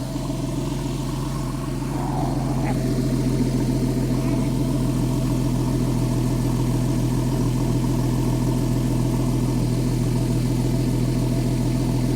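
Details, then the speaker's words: Porsche 911 (997S) idling after replacing the serpentine belt, the bad tensioner and the bad tensioner lever; belt deflection is minimal. Steady, even idle with a smooth low hum and no chirp, slap or squeal from the belt: normal idle. "It sounds very healthy. Sounds good. I don't hear any abnormal noises."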